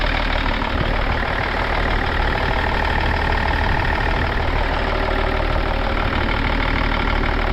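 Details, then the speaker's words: Diesel car engine from a BMW swapped for a 1997 Mercedes idles steadily and quietly with only a slight normal diesel knock; sounds good. "Yeah, sounds good. Call a bit of a diesel knock, but no."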